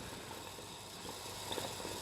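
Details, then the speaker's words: Briggs & Stratton engine on a Cub Cadet that is blowing oil, under a leak-down test: a soft steady hiss of escaping air with faint gurgling/bubbling and jumping gauges, showing a bad head gasket. "it's just gurgling air that's a bad head gasket folks"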